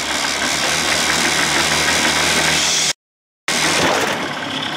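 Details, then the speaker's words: 1979 Evinrude 55 hp outboard in neutral after reed valve inspection, compression test and original carb reinstalled: loud, high racing idle that never settles; cause unknown, owner suspects float needle. "why is it doing that what the hell is going on"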